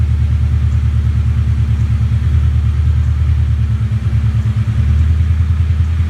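Lumpy V8 idle with a loping, uneven beat and periodic dips in the exhaust pulse; one cylinder misfiring.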